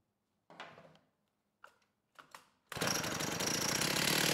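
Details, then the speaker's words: STIHL 028 AV Super chainsaw, rebuilt with non-OEM parts after burning up on straight gas, ran lean: catches and runs raggedly, revs climbing unevenly; low-speed jet opened a bit, crank seals seem fine, owner suspects carb issue. "w oh H it's almost acting like a carb issue you know it doesn't actually seem like we have any crank seals leaking"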